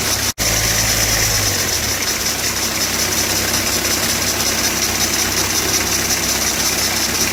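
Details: Citroën Berlingo 2.0 HDi diesel idling with a steady high-pitched hiss and whirr over the clatter, from the auxiliary accessory belt tensioner bearing, which needs replacing. Auxiliary belt tensioner bearing noise.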